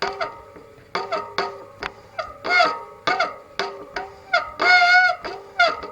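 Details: Shimano SM-RT53/SM-RT54 bicycle disc brake, before repair: repeated honking squeals, each a second or less, as the brake grabs; worn rotor and pads squealing, cured by replacing both.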